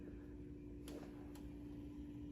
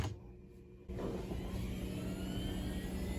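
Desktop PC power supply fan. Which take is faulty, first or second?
first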